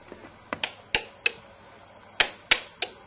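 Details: DUO 14 Premium 2-bit relay computer run slowly through a conditional program: crisp relay clicks about three a second, then a clear one-second pause where a conditional command is ignored; normal switching.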